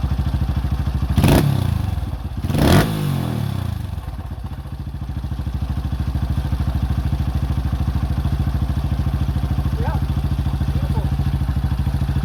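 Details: 2005 Honda CRF150F single, repaired by valve adjustment and carb tune-up after a no-start, during carburetor adjustment: after a couple of thumps it settles into a steady, even low putter with no misses, clatter or hunting. Idling cleanly.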